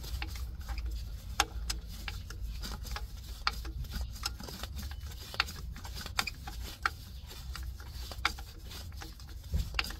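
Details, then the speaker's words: Toyota MMT (Aisin semi-automatic gearbox, P0810), clutch actuator fitted without motor and turned by screwdriver before repair: irregular dry clicks and scraping, moving step by step; clutch release bearing sticking inside the gearbox, fixed by changing clutch and grinding the bush. "the sound like the Beering is little little stuck and I feeling like it moving not smooth it moving like step step"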